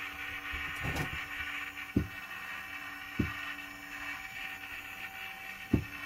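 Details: Smoke vent fire door actuator gear motor wired directly to the supply, control board removed: quiet grating run with uneven sharp clicks about every second; the engineer suspects worn motor bearings, and the control board is known failed; gear motor grating.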